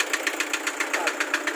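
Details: Toyota Hi Ace Commuter with 2KD diesel engine at idle: sharp, even knocks about seven a second over a steady diesel idle; a clear knock from inside the engine.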